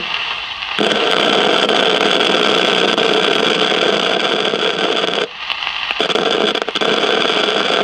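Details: 1956 CBS 5-tube AM clock radio, not tuning stations, heard through signal tracer: loud crackling hiss cutting out briefly and roaring back, feeding through the whole set.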